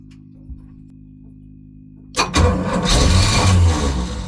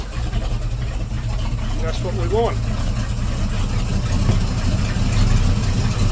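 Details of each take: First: Volvo Penta 454ci V8 boat engine, first start after fitting a new HEI distributor with the rotor not lined up to the old mark: slow labouring crank, catches hard, runs rough and lumpy; ignition timing over-advanced. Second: Volvo Penta 454ci V8 boat engine with the new HEI distributor reset on the number one lead, before timing-light adjustment: starts and settles into a steady even low rumble, no misses, stumbles or knocks; normal idle.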